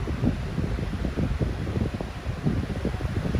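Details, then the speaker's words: 14-inch no-name high-velocity fan at high speed: steady low whoosh of moving air with an even drone, no rattle or scrape; still runs smoothly after many years. "Full power. All these years later, it still runs good."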